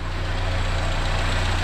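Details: Renault 5 with C1J turbo engine after EFI conversion with MaxxECU Mini, initially needing choke: steady, even low idle with a smooth deep hum and no misses or knocks.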